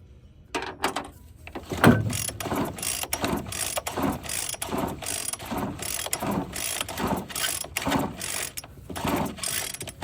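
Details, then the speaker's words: Free found Bolens BL160 string trimmer with new plug and fresh fuel, air cleaner off, cranked to check spark: repeated ratcheting pulls once a second, brief whir, no firing; cranks but won't start, cause suspected, not confirmed. "Okay, so it didn't start with a new plug and or new gas."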